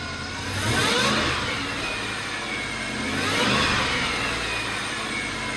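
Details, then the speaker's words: 5.7 HEMI on E85 with Hellcat supercharger and smaller pulley, first start after install: two quick revs with the whine climbing alongside engine speed, then back to steady idle; normal, healthy supercharger whine. "That is the coolest sound ever. So first start went well. It was exactly what we would expect. And the whine is really prominent, especially with the smaller supercharger pulley."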